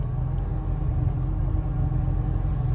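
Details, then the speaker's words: 2003 Bayliner 215 Bowrider, V8 stern drive, just restarted after cut-off switch test: deep, even rumble at a steady idle with no stumble or knocking; normal idle. "Does that cut off switch actually work? Yes, it does. starts right up."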